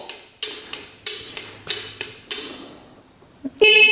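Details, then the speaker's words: Scooter sitting unused for a couple of years, seller said it doesn't run: turn signal flasher clicks steadily, then a short, clear, bright honk with key on; horn works. "Horn's working."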